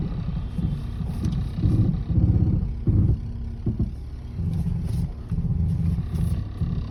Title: Piston slap noise?